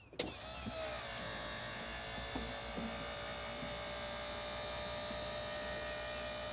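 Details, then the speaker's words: 1995 Ford Mustang GT convertible top after refilling the hydraulic pump: a brief clunk, then a smooth, steady whir. It is a little slow, with no grinding or the earlier horrible noise; a hinge squeak still needs oil. "goes a little slow but everything is nice and smooth uh and it's not making that horrible noise anymore"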